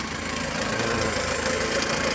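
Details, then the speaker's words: JAC J6 2.0 16V at idle and revving: faint constant mid-pitched whirring over engine ticking from timing belt area, belt seen jumping; bearings/rollers suspected, not confirmed. Timing belt area noise at idle. "ó a região barulho bem chato você está ouvindo vídeo aí mas é bem chata e aparenta estou aqui na correia dentada tá provavelmente os rolamentos aí já foram"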